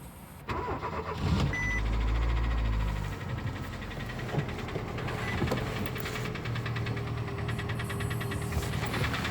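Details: Daewoo Lanos engine cranks and catches, then quick uneven ticking rides over the idle: hydraulic lifter (tappet) knock on start.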